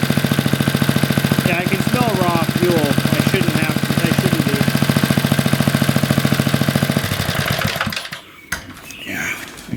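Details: Roughly 40-year-old Briggs and Stratton single-cylinder on a garden tiller, after a carburetor rebuild and linkage adjustment: quick regular chuffing, about 3.5 beats a second, holding even for several seconds before dying away. Running fine, given a clean bill of health.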